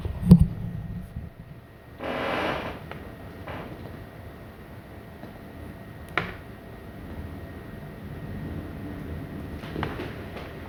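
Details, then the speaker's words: Lenovo Legion 5P laptop, AMD 4800H with RTX 2060, rendering on battery, CPU 36 °C: faint steady high whistle with lower second tone, two fans at different pitches resonating; whiny cooling fans. "it's like high pitched it's like high pitched noise that is really annoying to be honest unfortunately"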